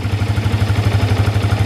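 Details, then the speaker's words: Yamaha New Vixion Lightning single-cylinder after a slipper clutch was fitted: even putt at about eight beats a second with a smooth low thump, no rattle, sounding smooth and not harsh; normal idle. "Nah, ini adalah suara idle dari motor saya yang sudah menggunakan silver clutch. Jadi kedengarannya itu memang cukup halus ya, tidak begitu kasar."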